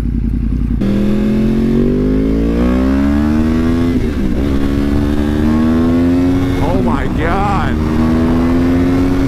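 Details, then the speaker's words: Rebuilt wrecked 2014 Yamaha R1, first test ride, helmet microphone: clean engine tone climbing steadily through the gears with brief dips at each shift, no knocks or rattles; normal acceleration, runs strongly. "oh my God this thing is absolutely insane this thing runs like a freaking champ"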